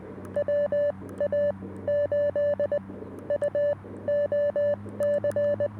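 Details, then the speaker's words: Portable CW station with CFT-1 and 17-foot PERformer vertical whip, 20–10 m, outdoors in a park. Keyed Morse tone bursts over a steady low hum that suddenly sits on top of the signal; interference source unknown. "I got something sitting on top of me now. You hear that hum? That's really odd."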